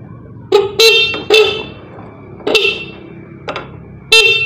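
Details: Motorcycle horn after fix with shoe-rubber piece, tested in different holes and adjusted: several short bright blasts, clean steady tone, strong volume; loud and healthy.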